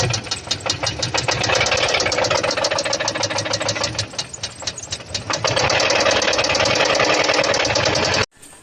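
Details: A running engine gives sharp metallic internal knocks, about three a second, ringing steadily. Lubrication problems and blown-out oil plugs after a hit are mentioned, but the cause is unconfirmed.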